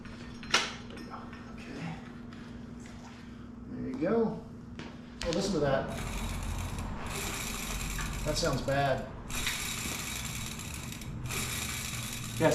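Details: Rear hub spun by hand after removal, before fitting a new 6-pawl steel freehub body, gives rough, gritty ratcheting bursts instead of clean even clicks; freehub body found loose and damaged.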